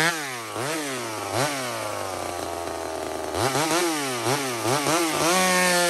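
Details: Small Homelite two-stroke chainsaw on a stock chain cutting maple: a sharp scream that drops in pitch as it bogs into the wood, then snaps back up between cuts. Strong, normal cutting under load.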